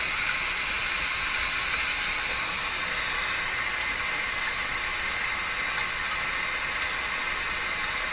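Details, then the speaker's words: Grundig Prima Boy Luxus radio with intermittent FM reception: steady loud hiss with no station, broken by sharp crackles, seeming to cut out on strong stations; flexing the board changes it, cold solder joint suspected despite resoldering. "it's almost like it shuts off every time it picks up a strong station that sounds crazy"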